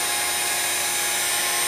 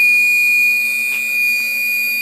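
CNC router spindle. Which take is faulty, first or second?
second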